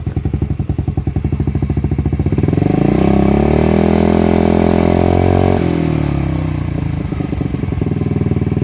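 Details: Lexmoto Gladiator 125 four-stroke motorcycle, cold engine, exhaust baffle removed: loud raw popping idle rising into harsh booming revs, revs unsteady from cold; exhaust excessively loud without baffle, before a homemade baffle repair.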